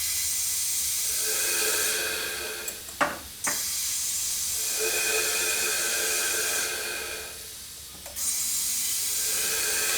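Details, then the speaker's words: Porsche 996 Turbo: a steady, airy hiss swells, holds a few seconds, then drops away as boost bleeds past a poorly sealed silicone intake coupler. There is also a leak down at the turbo; it now holds some pressure where it held none before. "got a couple of leaks we're fighting with right here this silicone coupler that's not exactly sealed you listen closely it is holding pressure which it wasn't before eventually it leaks out"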